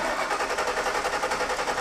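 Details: 2000 Ford F-150 that cranks but won't start, cranked while checking for spark at the coil packs after confirming power at the fuel pump relay; steady rhythmic starter cranking at an even pace and the engine never fires, crank-no-start.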